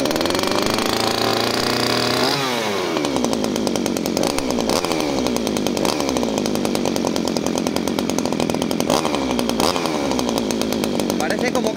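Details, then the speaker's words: Two-stroke pruning chainsaw that stalls, started on choke after priming the bulb: revs keep sagging every couple of seconds then recover, never running smoothly; the engine is bogging and wants to die. "se quiere venir abajo no sé si lo escucháis mirar no acaba de ir redondita suena mal"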